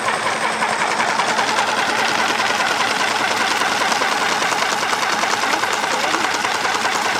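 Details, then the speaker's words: Chemical transfer pump unused about 12 years, flushing with water: constant even hiss and whirr with no low rumble, steady throughout as it draws water; running fine. "It's pumping all the water out. See? I tell you what, considering that hasn't been used in about 12 years, it's doing very, very well."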